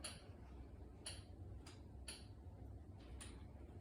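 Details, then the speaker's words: Walker's built-in pacing metronome: faint, sharp high beeps about once a second, steady and evenly spaced over quiet room noise; working normally. "Little beeping is actually a metronome. The metronome has proven to be a huge benefit to neurological disorders because it helps keep you in pace."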